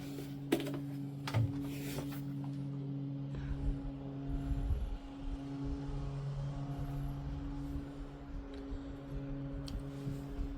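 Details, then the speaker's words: Lasko model 2501 12-inch oscillating desk fan from 2009, after cleaning, replacement motor from a 12-inch high-velocity stand fan and blade reshaping; on low speed, a few clicks then a quiet, steady hum, slower than before with no rattle: normal low-speed run. "The low speed is a lot slower now, which actually is perfect. You know, it's still powerful."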